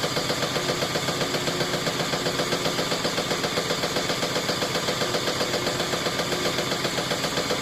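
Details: GE washer after its clutch shifter was replaced: sharp, regular banging thumps about four per second throughout the spin cycle. Cause unknown.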